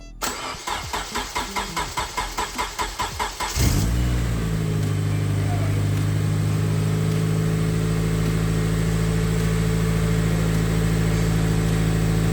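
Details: Honda K24-swapped Toyota Camry, first start after turbo install and new exhaust, fuel pump priming: about three seconds of rhythmic cranking, quick catch and flare, then a smooth steady idle with no knocks or misses.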